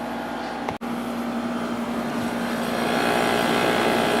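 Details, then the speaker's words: 1989 Climatrol 8000 BTU window air conditioner made by Fedders, stiff never-oiled Samsung fan motor: steady low compressor hum under an even fan rush, no rattles, knocks or squeals; compressor running smoothly and healthy. "compressor sounds very very good on this air conditioner"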